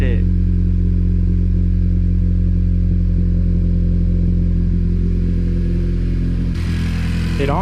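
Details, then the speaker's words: 2020 Honda Civic Si at cold idle, first start of the day after a PRL downpipe install, car on a lift checking for leaks: smooth, even low rumble with a steady beat, no ticking or hissing from exhaust joints; healthy idle. "honestly doesn't sound that much louder, but the way it's purring right now, from like a cold start, I didn't use it all yesterday, but today I haven't turned it on."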